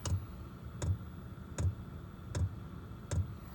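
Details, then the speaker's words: Chinese copy diesel parking heater built into a portable camping case, first startup at 42 m altitude: soft, even ticks a little over once a second as the fuel pump starts pulsing fuel before combustion. Normal fuel pump ticking. "fuel pump is fired up so that's tap it away that'll push some fuel"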